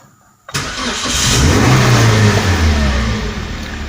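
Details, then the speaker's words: Car started with the ignition on for an EMS scan-tool diagnosis: a quick crank catches into a steady, even idle with no knocks or misses. All warning lights go out except the handbrake light, so the engine has no trouble. "Nah jadi kenderaan ini dalam keadaan normal tidak ada trouble pada mesin"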